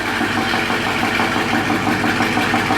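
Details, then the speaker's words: Dodge Scat Pack with misfire on cylinder 4: rough idle with a steady light knock and uneven misfire beat; a collapsed lifter, which automatic transmission fluid added as a detergent failed to pump back up. "That lifter dropped down, causing all that knock he hears. When the car's on, you hear that knock? Mm-hmm. That's what you're hearing."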